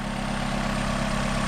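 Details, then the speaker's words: Car with 146,000 miles and paddle shifters, a small four-cylinder, new battery terminal but a dead battery, at idle: steady, even low hum with no knocks, misses or ticks; runs perfectly. "But as you can hear, it runs absolutely perfect."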